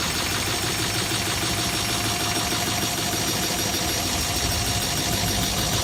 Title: Strange noise